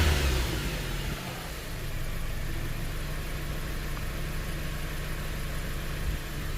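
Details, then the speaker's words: Dodge Caliber with codes P0301 and P0300 (cylinder 1 and multiple misfire), widely gapped number one spark plug found: engine revs then settles with uneven, stumbling beat; engine misfire. "All right, let's start it up. There's nothing on counting. Misfire 1 and 4. It's stuck."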